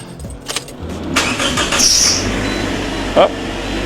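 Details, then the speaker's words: 2012 Toyota Corolla with used replacement engine installed (original blew head gasket from overheating, leaking into cylinder 1), fresh oil: short crank, catches within about a second and settles into a steady, even run; normal start. "So that's a good thing. It actually starts up, it runs."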